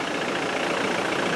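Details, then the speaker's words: Land Rover Defender diesel at idle after turbo replacement following a roadside breakdown with a bang and whooshing noise; steady, even idle with no knocks, whistles or misses: normal idle, sounds much better. "I like that I like it that sounds a lot better and we're off"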